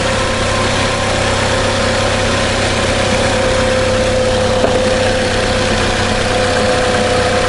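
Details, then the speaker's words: 2002 Nissan Altima after replacing the valve cover gasket, spark plugs, coil pack leads and PCV valve to cure a misfire that made it shake roughly: now a smooth, even idle with a steady low hum and no shaking. "vibration everything seems good but before it was shaking really rough"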